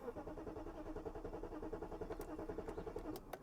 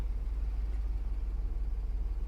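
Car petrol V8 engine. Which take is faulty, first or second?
first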